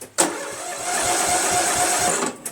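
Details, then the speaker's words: Briggs & Stratton flathead replacement engine on a Murray Select lawn tractor (original engine had low 75 psi compression), engine cranks quick and light for about two seconds, too easy to turn, no firing; owner suspects no compression. "there was not enough depression I'm gonna take the airbox off and blow some go-go juice in there and see if it starts"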